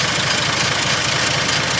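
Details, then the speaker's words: 1948 Dodge B1C pickup, flathead 6 of about 3.8 litres, rebuilt years ago, revived after sitting with new start solenoid and ignition switch: soft, even idle, steady low beat, light tick from the voltage regulator; normal idle. "so that's purring away"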